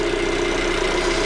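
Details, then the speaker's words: 2015 Dodge Dart GT 2.4L four-cylinder first run after valve cover gasket replacement, running a while and being checked for leaks; steady, even idle with smooth hum, no knocks, ticks or misses, healthy. "Let's go ahead and give it a test fire. All right, guys, so this thing has been running for a little bit now."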